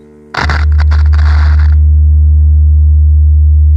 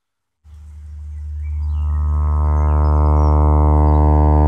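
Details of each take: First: Wurlitzer Magnavox jukebox loudspeaker after reconing, playing a test tone: clean, steady low tone with no buzz, rattle or scraping, much clearer than the distorted unreconed speaker; healthy loudspeaker. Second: Wurlitzer Magnavox jukebox loudspeaker, unreconed: low droning note comes through buzzy, harsh and distorted; cone is recessed in the basket, torn and resisting movement, so the speaker needs reconing.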